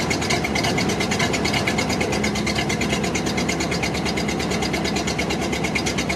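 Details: Barn-find 1929 Ford Model AA four-cylinder, sat 30+ years, first start after freeing sticking carb float, no coolant: fast, slightly uneven idle with steady chuff; seems down a cylinder, suspected not confirmed.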